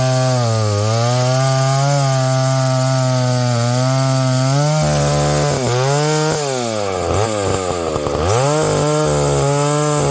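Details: Husqvarna 285 (85cc) two-stroke chainsaw after a seal replacement and a shortened bar, cutting wood: even full-throttle drone sags and pulls back up during the cut, no missing or bogging; running properly.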